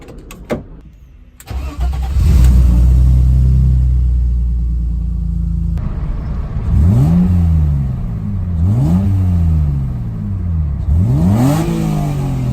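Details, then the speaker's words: BMW M52 engine converted from dual-mass to lighter M20 single-mass flywheel (M20 clutch, starter, throwout bearing), car run about six to seven months; starts, settles, then three sharp blips with revs climbing and dropping fast, smooth, free-revving and healthy. "So I'm gonna start it up. I'm gonna try and show you guys how light the flywheel actually is."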